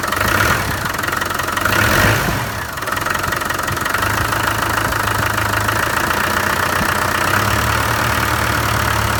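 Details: Land Rover 300Tdi diesel at idle: rough steady knock through the clatter, about four knocks a second; cause unknown.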